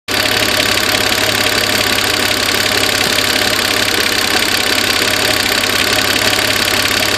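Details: Peugeot 406 3.0 ES9J4 V6 idling on a damp evening: light, fast ticking timed with engine speed, traced by screwdriver to the steel injector clamp; exact injector unknown.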